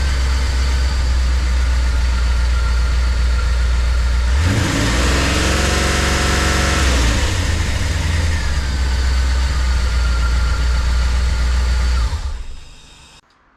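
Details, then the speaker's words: Small block Chevy V8 in Corvette after HEI distributor cap burnout repair, previously running rough: fires straight up, blip, then smooth even idle without misses; moisture in cap suspected as cause. "All right, so buttoned back up. It started right up and uh ran real nice and smooth."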